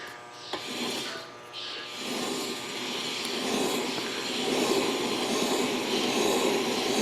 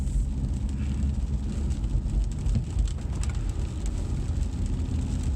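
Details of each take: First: 2012 Cadillac CTS front passenger-side wheel bearing, tire removed, hub spun by hand: rough gritty rumbling grind swelling and fading, matching a speed-sensitive groan while driving; worn wheel bearing, replaced. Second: 2012 Cadillac CTS road test after front wheel bearing replacement: only steady low road rumble at speed; earlier growl rising with road speed is gone, bearings now quiet.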